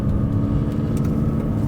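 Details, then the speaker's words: Mercedes W209 CLK diesel at 230,000, just serviced with suspension work, new rear exhaust box and rear tires: low steady rumble, even beat, no knocks or rattles; engine healthy. "I don't think the engine's going to give out anytime soon even at this kind of mileage 230,000"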